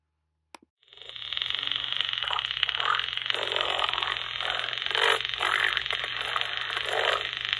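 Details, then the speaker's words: IBM 224 Magnabelt dictation machine, after jumping an open switch: steady hiss and crackle over a low hum as the motor runs weakly; electrical noise through the amplifier from worn brushes and commutator, too far gone to run consistently. "once i got the motor running i discovered that the motor was very weak and you can hear the brushes really creating a lot of electrical noise through the amplifier"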